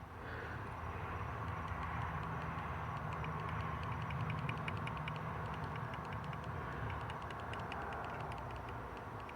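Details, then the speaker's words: 1989 Camaro IROC-Z non-runner, testing ECM injector pulse with a power probe: light, sharp metallic ticks about three a second over a faint low hum; unclear whether the injector or the power probe is clicking. "I can't go tell if that's the if that's the power probe doing the clicking"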